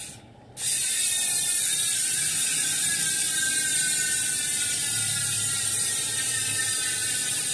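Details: Industry Nine rear hub (12x148) on a Santa Cruz 29-inch mountain bike: fast, even high-pitched ratchet buzz as the wheel coasts, crisp clicking with no grinding; normal freehub.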